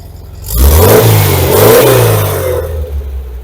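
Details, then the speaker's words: 1973–74 VW Thing with air-cooled engine and factory-style tri-mill exhaust, started in neutral without touching the gas after sitting a month: a clean throttle blip, revs climb quickly, hold and settle smoothly with no stumble, rattle or backfire; normal healthy revving. "That's awesome. It sounds really nice. Yeah. Really, really nice."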